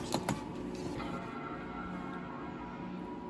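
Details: Mid-2007 MacBook that powered on automatically when MagSafe power was applied: a couple of sharp clicks, then a steady low hum with a thin whir; abnormal optical drive noise at startup.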